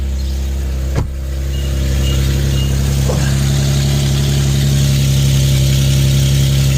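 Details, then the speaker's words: Infiniti FX37/QX70 first start after installing an ISR Y-pipe; exhaust leaks at the Y-pipe flange, whose end the previous owner had scratched out of flat; catches and settles into a loud, steady, raspy idle. The fix was sanding the flange flat. "all right so when I turned the car on I noticed that it was kind of like leaking from right here quite a bit"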